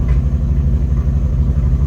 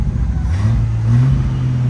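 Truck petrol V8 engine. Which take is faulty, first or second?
second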